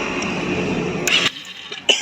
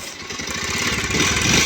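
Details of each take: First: Bajaj Pulsar 125 BS6 after clutch plate and timing chain replacement: bike starts and settles to an even, smooth idle with no rattle; earlier heavy clattering from the engine is gone, no fault codes. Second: Bajaj Pulsar 125 BS6 motorcycle at 11,928 km with pickup loss and oil leak: fast, jangly "jhar jhar" metallic clatter on each firing beat as revs rise; timing chain rattle, chain being replaced along with clutch plates.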